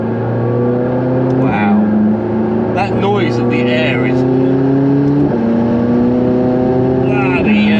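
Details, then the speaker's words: McLaren 675LT on its first road test after an engine rebuild, in Sport mode using manual gear changes: strong pull with pitch climbing cleanly through each gear, instantaneous shifts, loud intake rush, no knocks or rattles; healthy under load. "hell I mean that power and the transfer is so nice and the manual mode you've got there of being able to change gear it's instantaneous there's no lag in the change"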